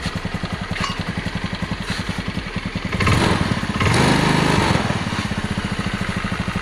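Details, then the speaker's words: Honda Beat automatic scooter that ran out of oil and smoked heavily, after piston and rings replaced, kick-started due to a weak battery: steady quick putter at idle, about 3.5 beats a second, brief throttle blip; slightly rough as new rings are tight, runs smooth with no leaks. "jadi mesinnya ini masih enak juga kita dengar, dan mantap juga. Dan tidak bocor lagi."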